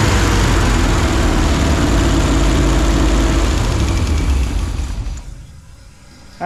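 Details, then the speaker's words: 1968 GMC with 327 V8 after carb rebuild, new plugs, wires and HEI distributor, running warm at 230 on the gauge with 40 lbs oil pressure, splashing oil: even, steady beat with no miss, knock or tick, smooth and healthy. "so sounds good don't it sounds nice and stury"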